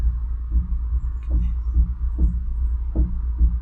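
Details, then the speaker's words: Car at 72,000 miles: deep, dull rhythmic banging under one per second in second gear and in neutral, none in first or reverse, hard to select park. Gearbox suspected, not confirmed. "Can hear that banging sound when I put it into two in second gear. First gear, no noise."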